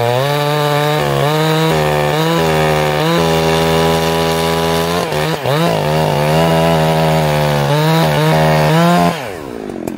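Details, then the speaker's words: Chainsaw with 20-inch bar, warm, carb high jet set very rich: holds a steady high buzz but burbles and drops unevenly as it loads in the cut; four-stroking from a too-rich high jet. "you guys here it go that's my best impression of a four stroking saw this saw is very rich right now"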